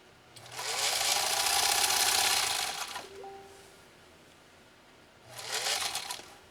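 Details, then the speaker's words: Singer 66-16 sewing machine after restoration with rebuilt motor: two bursts of fast, even stitching over a smooth motor hum, no knocking or dragging; now sews like a dream, running freely; normal running. "But I'll tell you one thing: this machine just sews like a dream now. Just sews like a dream. And that motor has been rebirthed and is very, very happy."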